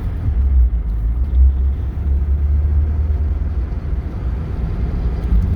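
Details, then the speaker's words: 1983 Porsche 944 driven gently while still cold, fresh timing belt, fresh limited-slip transmission fluid: steady low engine drone, smooth and even with no knocks or ticks; no vibrations or shakes, healthy. "All the synchros are real smooth. Of course, she's got fresh transmission fluid, limited slip Mobile 1, which is, this is a limited slip car, so it does need that additive. There's no vibrations, no shakes, alignment's dead on."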